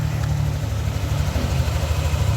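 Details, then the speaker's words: Yamaha NMAX V2 scooter after repair of a rough, noisy engine with minor adjustments: smooth, quiet, even low idle with no rasp or rattle; normal idle. "So tahimik ba? Yan. So yun yung tunog ng makina ng NMAX version 2 ni sir."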